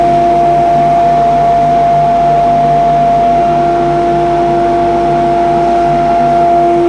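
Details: Modified grinding-room extraction unit with ducting to every belt grinder, blast gates open: a constant fan rush with a steady, even whine and no surging, rattling or scraping; suction is good and the extractor runs normally.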